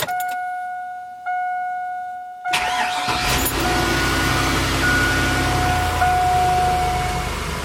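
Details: 2002 Chevrolet Avalanche 1500 5.3L after alternator, belt and idler pulley replacement: door chime, brief crank, clean catch and even steady idle; normal idle.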